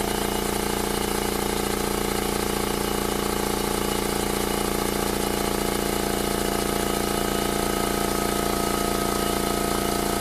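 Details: New Makita MAC700 2 hp oil-lubricated compressor with a 2.6 gallon tank, filling from 0 psi to about 130 psi in about 59 seconds: even, rhythmic pumping thump over a steady low hum, no knocks, rattles or squeals; healthy.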